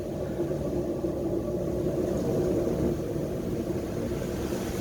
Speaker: oh hang on a can you hear that Hollow sound let me get closer the bearing's gone you can hear the hollow